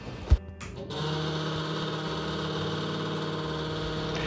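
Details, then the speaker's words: Squeaky, noisy bathroom exhaust fan: after a switch click it spins up to a loud, steady droning hum caused by dust buildup in the blower; cleaning it fixed the noise. "so when we updated the boys bathroom we noticed that the fan seemed to be making a lot of noise"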